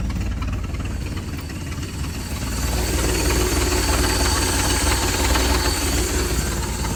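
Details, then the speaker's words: 1967 Ford 300 inline-six running on a lawnmower carburetor, fuel pressure regulator set around 0.5–1 PSI, gasket maker against vacuum leaks: steady even running, revs rising slightly, no misses or knocks; normal running, though carb leaks gas. "all right as you can see it was running fine"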